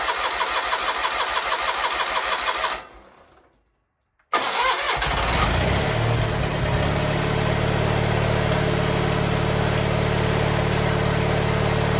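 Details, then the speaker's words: Garden tractor GT18 starting after carburetor fitted, air cleaner off: rhythmic cranking with stumbling catches, a dead stop, then a rough uneven run; sounds like flooding, which it did not do before. "now that's not promising sounds like she's flooding which is not good it was not flooding"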